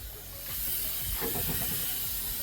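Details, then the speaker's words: Used Ferrari after 15 minutes, overheating: steady loud hiss of steam venting from front of engine bay, giant puddle of coolant underneath; leak source not yet found. "it looks like we're overheating from somewhere back there that's bad news I can hear it steaming and then here we have a giant puddle of coolant"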